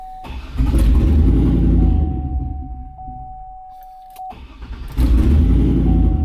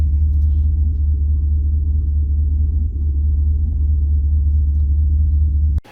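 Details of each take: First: Turbo LS V8 truck on E85, no flex sensor, HP Tuners tune scaled for gasoline: catches, surges, sags nearly dying then recovers, rough hunting idle running lean at about 17 AFR after adding fuel; needs more injector fuel. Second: Turbo LS V8 truck, stock cam, HP Tuners tune from stock file, at operating temperature after idle adjustments: deep steady rumble, even beat, no misses or hunting, smooth normal idle.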